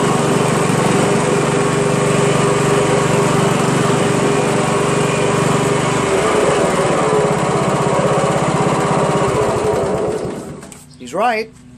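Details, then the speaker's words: Honda Harmony HRM215 SX self-propelled mower, GXV140 single-cylinder engine, run at full throttle; steady, even buzz, then clean shutdown: normal running. "he says it runs great starts everything let's try that's full throttle gonna lower its idle"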